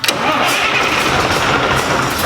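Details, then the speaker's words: 1994 Peterbilt 379, 12.7 Detroit Series 60 diesel, 15-speed, first start in over three years after top-end rebuild: quick crank, catches and settles into a steady, even run with no knocks or misses; clean, healthy start. "you heard it start which is a huge relief"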